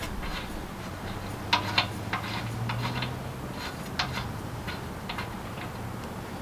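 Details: Generac 3000 W generator with Enduro overhead-valve engine, bought as mechanic's special with broken tank spigot: scattered sharp pull-start clatters and a brief low putter that never catches; cranks but will not start, has spark, dirty fuel found in tank.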